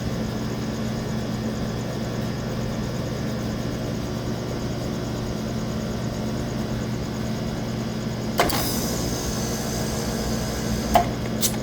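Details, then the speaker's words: Walk-in freezer compressor after repairing two burnt supply wires, cutting out at 13 suction: a steady hum, then two sharp clunks at shutdown; an internal fault or check valve problem is suspected, not confirmed. "There's something going on in that compressor. I'm not I don't think I'm cutting out too low anymore. We're going to have to warn him about that. A check valve or something's going on internally. When you shut it off, you can hear it."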